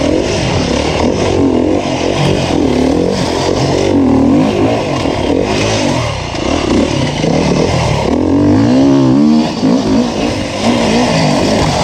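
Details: 2019 Beta 350RR four-stroke enduro bike on a Finnish enduro track, a crisp bark rising and falling with the throttle, pulling cleanly with no misfire or clatter; the engine runs healthy.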